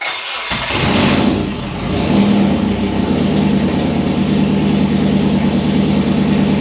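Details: Nissan S13 after full engine rebuild, following distributor timing adjustment: starter whirs, catches within a second and settles into steady even idle; normal start and idle, front timing cover oil leak found.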